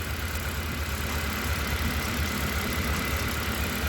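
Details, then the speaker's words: Honda Accord CB7 with a G23 VTEC engine after fitting OBD2 injectors, cylinder drop test: rough, stumbling idle; dropping cylinder 3 now has little effect, so the misfire moved to cylinder 3, while dropping cylinder 4 nearly stalls it. "so with these set of obd2 injectors in here we now have one over here that's moved to number three is now gone bad we've got little to no effect"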